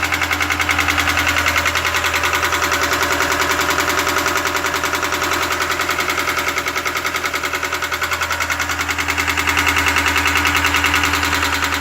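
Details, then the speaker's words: 2017 GAZelle Business, Evotech 2.7 petrol engine (factory LPG fitted, running on petrol during break-in), 747 km: hard regular tapping at about 3.5 per second over idle from under the valve cover, began as a click; knock felt by hand on the cover. "Идет стук. В районе клапанной крышки. Сперва был щелчок, и теперь вот такой жесткий тряк. Ставишь руку, чувствуется, как бьет под крышкой."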